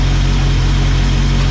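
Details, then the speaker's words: Engine after fuel line replacement; deep, even idle with no ticking or tapping, though the owner fears the engine won't last. "Well, let's take a listen. Sounds good,"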